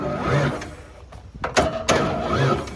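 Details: 1994 Ford F-150 sat for years, previous owner said the engine was blown; starter whirs in short bursts, engine spins over but never fires; crank, no start, owner suspects blown engine.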